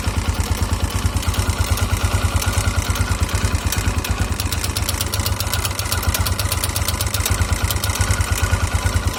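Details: 2009 KTM EXC 450 at idle, oil level checked: irregular metallic "tick tin tin" ticks over the loping single-cylinder idle, which sometimes stall the engine and fade with throttle. The owner thinks the regular clack is the cam chain tensioner and that the tick is not the rod.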